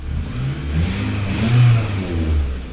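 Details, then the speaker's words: 2004 Toyota RAV4, previously crank-no-start with bucking and surging, now repaired (original problem thought to be the key wiggling in and out; harness still to be tidied). Engine revs up and down smoothly through throttle blips without stumble or misfire; running normally. "Very good. We can accelerate. And now we are back in business. So this car is fixed."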